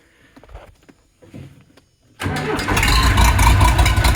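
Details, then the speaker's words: Case 207D (450) dozer diesel after a year-long engine rebuild, reinstalled and reassembled, now fitted with a muffler so much quieter: cranks, catches and settles into steady, even low rumble with no knocks; starts and runs cleanly. "a muffler on it by the way so it's much quieter now"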